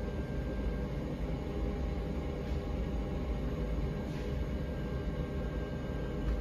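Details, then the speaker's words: Rheem tankless water heater after cleaning for error code 13, cover back on, with all fixtures except the washing machine running: steady, even low roar with rushing water, no surging, popping or cutting out; normal burner operation. "sounds like she's doing all right so all right guys but that's going to be it for this one"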